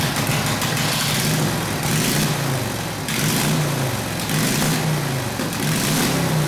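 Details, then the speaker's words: Harley WL 45ci flathead V-twin, no throttle, hot: lumpy, uneven idle with wavering beat and raspy exhaust; rough idle, owner suspects front exhaust pipe rotated down and fell out; plans clamp and valve adjustment. "but one problem is the front exhaust pipe fell out see over here that makes it sound a little weird"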